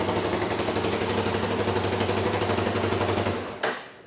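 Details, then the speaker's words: $500 ATV with a JB Welded cracked case, after tightening a completely loose part that caused the valve ticking: steady thump about four a second with no valve tick, starts right up, then shuts off cleanly; healthy idle. "So, as you can see, the engine is really quiet now. There's no ticking in the exhaust valve or intake valve at all. So, that's really good."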